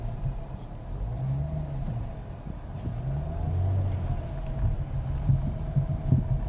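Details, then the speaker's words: Clunk from the suspension while driving over rough dirt in a 2000s-era Dodge Charger, heard as low road rumble with dull knocks; suspected strut or loose lug nuts, not confirmed. The car also needs an intake manifold, clock spring and wheel speed sensor. "Yeah, that's a pretty good clunk. That's either a strut or uh like loose lug nuts or something."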